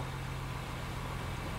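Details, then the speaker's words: 2016 Honda Pilot 3.5 V6 after fixing DTC P2652 rocker arm oil pressure switch fault (rough running, high idle) and clearing codes: smooth steady idle and clean revs, no misses or knocks. "so as you can hear the engine sounds great I rev the engine the engine revs great the idle sounds good this is what I was expecting"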